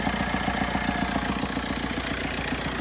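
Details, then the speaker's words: Ford Capri (PD130, turbo) warm idle after about 15 miles: steady even thump about three to four times a second; long-standing, cause unsure, a commenter suggested worn cam. "You hear that thumping noise? Know if you hear it or not."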